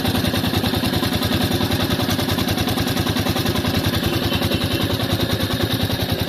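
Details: New Royal Enfield Meteor 350 at idle: sharp even tick about three and a half per second, loud valve-train clatter; service center called it tappet noise.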